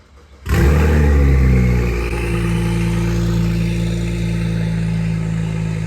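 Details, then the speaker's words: BMW 535xi E61 wagon petrol engine starting and revving with a loud, raw, deep rumble from an open exhaust, disconnected at the downpipe with the gaskets removed, during a third exhaust gasket leak repair. "I'll show you the new ones, but first let's scare the crap out of the kids with the open exhaust."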